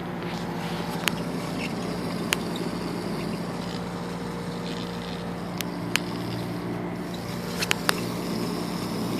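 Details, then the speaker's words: Worn wheel bearing on a 1995 Plymouth Voyager: steady low, rough growl with a few sharp clicks, and noticeable play in the wheel; bearing is shot. "that grinding? Also look at the play on this. Go closer. This bearing is shot, folks."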